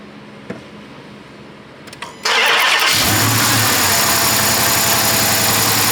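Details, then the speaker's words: Dodge Charger 5.7 Hemi with coils swapped between cylinders 3 and 5; it cranks, catches and idles with an uneven stumble, misfire staying on cylinder five, a suspected mechanical fault. "so we still have a dead Mist on cylinder five as suspected three is running good so I was pretty sure that we had a mechanical problem and that's what it seems like"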